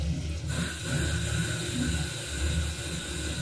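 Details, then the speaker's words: Heating or hot water expansion vessel tested by pumping in air from a compressor: low gurgling, bubbling rumble with faint hiss as air passes through the ruptured rubber diaphragm into the installation. "we have such a sound. It means that by pumping air here, it gets through the rubber mesh and lands in the installation, whether it is hot water or central water."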